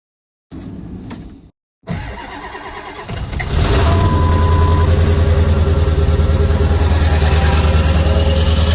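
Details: Ford F-350 7.3 Powerstroke diesel cold start in winter: slow, labored cranking with a brief stop before it finally catches and settles into a heavy, deep, steady idle; hard cold start.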